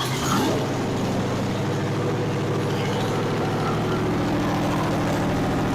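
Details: 302 V8 budget rebuild with a temporarily hooked-up carburetor, fuel line and starter: a steady, even idle with a smooth firing beat, no knocks or misses, as the fuel pump feeds the carb. Runs cleanly; a fuel filter leak was found after.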